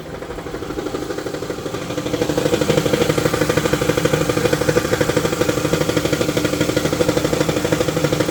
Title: 2018 dodge promaster 1500 v6 making sound at idle then goes away above 1000rpm what could it be?